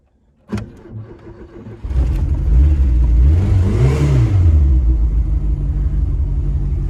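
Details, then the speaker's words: Ford Fiesta RS Turbo, first start in freezing weather after priming the fuel pump: brief crank, catches at once and revs up before settling to a steady rumble; a clean cold start. "Still had a little cold start."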